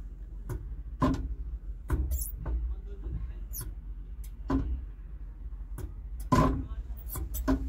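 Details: ACE Hydra crane, cabin control lever (last of four) that sticks when steering: sharp irregular clunks every half second over low engine hum as it's worked; debris in the control valve spool suspected.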